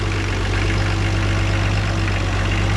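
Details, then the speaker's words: 1969 Oliver 1650 backhoe diesel after replacing torn-diaphragm fuel pump (fuel leaking into crankcase) with electric pump: deep even strong idle, no misses or knocks, no smoke unless throttle hammered; owner says it may be sorted; normal. "sounds pretty strong not puking out any smoke unless i hammer on the gas maybe we got it sorted out finally"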